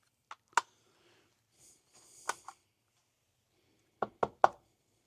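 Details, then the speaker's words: Mazda 3 with a parasitic battery drain traced to one fuse; shaking the removed switch gives sharp, scattered clicks and ticks from a tiny horseshoe-shaped loose metal bit rattling inside, thought to have been shorting across something. "It's a tiny little bit of metal, which makes sense if it was short across something. Little horseshoe thing."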